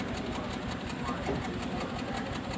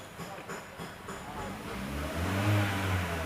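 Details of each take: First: 2015 Hyundai Creta petrol idling, heard at the silencer/exhaust: rough, uneven chuffing from an engine misfire. The check engine light is blinking, with DTC P0303 (cylinder 3 misfire). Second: 2015 Hyundai Creta petrol that had cylinder 3 misfire (P0303) and a flashing check-engine light. After the fault codes are cleared, the idle is even and steady with one smooth rev rise and no stumble or miss. Cylinder 3 misfire counter now zero; normal running.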